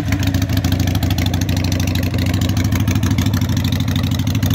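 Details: Harley 883 Sportster street tracker, initial start-up after fitting loud pipes for earlier Sportsters on modified, custom-built mounts (owner expects a carburetor rejet): smoking, deep, loud, lumpy V-twin beat, steady and even with no knocks or misses; runs great.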